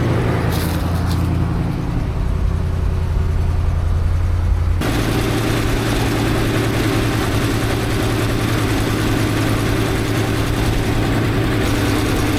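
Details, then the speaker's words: 1964 International Harvester Travelall C1100 during ongoing fuel system work, coolant temperature being watched: uneven loping idle whose note shifts suddenly partway and never settles; unstable rough idle, cause not found by owner. "Well, it's pretty clear that I cannot figure this thing out. Every time I think I've got one thing sorted out, another thing starts to change, and I'm not entirely sure what I'm doing."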